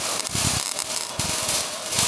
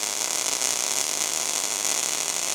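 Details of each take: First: ARCPEX MIG200 MIG welder: harsh, uneven arc with choppy stuttering bursts, a slow clocking sound meaning wire speed too high for the low voltage. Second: ARCPEX MIG200 welder: even, continuous frying buzz with no popping or stutter. Voltage and wire speed are correctly dialed in, giving a normal MIG arc.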